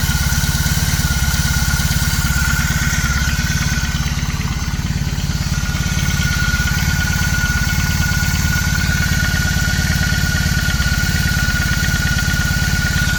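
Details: BMW R18 Classic motorcycle, cold-started, about 3.5 minutes after start; steady low idle with a light, fairly regular clatter or knock about three to four per second, louder in person than recorded; source not identified.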